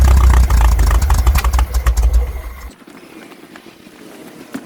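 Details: Air-cooled VW Brasilia engine after swapping the points distributor for a Hall-sensor electronic ignition distributor: catches and runs loud and slightly lumpy for about two seconds, wind noise on the mic; engine starting and running.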